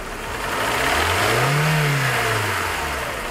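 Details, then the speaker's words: Hyundai engine with 69,000 miles, driven about 500 miles since the slap began, revving up and back down; a hollow knock in the upper engine rides on it under throttle and fades off gas: piston slap. "Okay guys, that's a piston slap right there."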